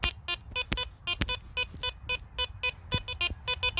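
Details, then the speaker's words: Garrett Apex metal detector at lowered sensitivity, with the first four discrimination notches set, giving crisp repeatable high beeps on each sweep with no stray chatter: a clean, solid target signal. "still picking it up absolutely lovely so if you don't like that chat guys don't be scared to lower the sensitivity cuz I found even lowering the sensitivity is actually still giving me an absolutely lovely signal"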